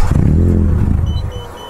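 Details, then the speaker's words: Mitsubishi Lancer CK4 tested with a faulty air flow sensor: restarted without pressing the accelerator, the engine catches with a low rumble, then fades within about a second and dies, as it does whenever the throttle is released. "ฉันปล่อยคันเร่งทันทีและปรากฎว่าเครื่องยนต์หยุดทันทีเพื่อนๆตอนนี้เราสตาร์ทอีกครั้งโดยไม่ต้องเหยียบแป้นใช่"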